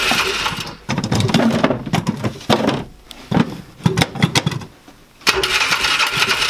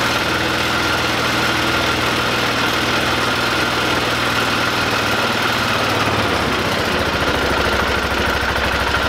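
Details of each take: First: 2005 Polaris Ranger 500 UTV, non-runner, cranked in neutral with a little choke: repeated bursts of starter cranking with a few weak catches, never running on its own. Low compression suspected; starter later stuck on. Cause not confirmed. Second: 2005 Polaris Ranger 500 UTV, a non-starting machine being rehabbed, running again after cleaning out and reassembling with the gasket: single-cylinder thump settles into a steady idle that dips slightly partway through, no knocks or misfires; running normally.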